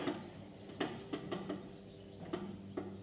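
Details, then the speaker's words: Used gooseneck equipment trailer, wheel spun by hand during bearing check: light irregular scrape and tick; owner thinks not a bearing but a rock or debris in the brake drum. "that doesn't sound like a bearing to me what that sounds to me is a rock got into the brake drum or something like that that's what it sounds like"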